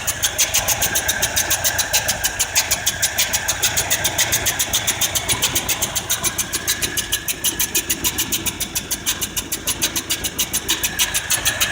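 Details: 1978 Ford F-150 302 V8 with a carburetor, on a cold day with no thermostat fitted. Sharp, regular ticking about 3.5 per second over a smooth idle, a top-end tick; the owner suspects a head gasket or exhaust leak, unconfirmed.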